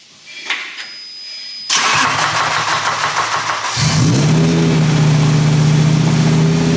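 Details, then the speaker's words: V10-swapped BMW E46 M3 with individual throttle bodies, at first start after exhaust manifold leaks were fixed: cranks, catches and settles into an uneven, lumpy, stumbling idle; throttle-body airflow very out of balance. "Sounds a bit zingy. It's definitely still stumbly, but what I've also done is I'm very familiar with the use of these on all of my cars with silly ITBs. Basically check the airflow in every single one of these. It is very out of balance."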